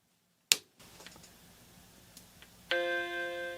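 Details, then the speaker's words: Repaired Mac Classic II after recapping: a single click at power-on, then a clean sustained musical startup chime instead of the solid bong tone; normal startup, screen shows picture, mouse pointer and flashing disc. "If this is like the SE30, we should hear that really nice chime when you turn it on, as opposed to that solid tone, the bong."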